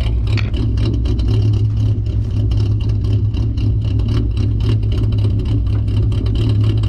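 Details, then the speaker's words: 2008 Ford Mustang 4.0 V6, idle chop mod via valve-switched EGR-line vacuum leak, idling in drive: deep, slightly uneven loping pulse, milder than in park; rough idle from deliberate vacuum leak. "So in drive and park, there's a little difference of an idle. Obviously, I'll have to listen to it on my computer when it's in drive. Don't got anyone around here to sit and drive while I listen to the back, but the idle's gnarly though in park."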